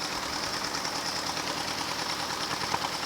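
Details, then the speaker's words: Old Ford tractor restarted after sitting over ten years, clutch disc stuck to flywheel: it starts easily and idles evenly, with a quick, even ticking patter over a steady clatter; normal running. "let's spin this thing right here tell you what it starts up pretty easy"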